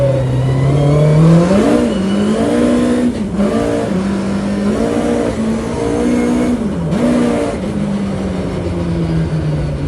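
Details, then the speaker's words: 1120cc prototype engine with 35mm big-end pins, light small motorcycle pistons and rods, clutch slipping; crisp eager revs climbing and dropping quickly with clean even note, no knocks or rattles, a healthy free-revving engine. "it's lack of weight you know reciprocating mass or whatever they call it it's made it Mega Lively I listen to this see what you think"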